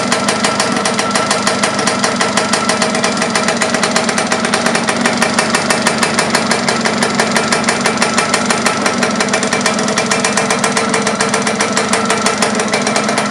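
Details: Laverda LB 125 with a Zundapp KS 125 WC engine, first starts after rebuild: fast, crisp two-stroke crackle with ringing clatter, steady and even. Normal running.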